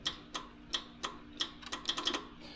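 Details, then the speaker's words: Ditch Witch 1820 trencher after engine swap: sharp dry relay clicks when grounding the oil pressure switch or using the dead man switch, with no starter crank; no power to the starter or fuel shutoff solenoid from the key. "So when I ground out the oil pressure switch, right, you hear that relay click. When I use the clutch or the chain engagement switch, the switch clicks, but we got nothing up here. Dead man switch does click a relay,"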